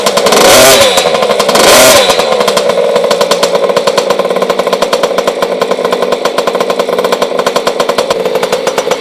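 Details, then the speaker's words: 50cc two-stroke kids' mini motocross bike, kickstarted: two sharp rev bursts then a crisp, fast, buzzy even idle, loud and shrill like a racing bike; normal healthy two-stroke. "Two stroke ni kita start pakai kaki, dan juga kalau dengar bunyi dia, two stroke ni agak kuat, agak bingit. So macam dia macam motor racing bunyi dia."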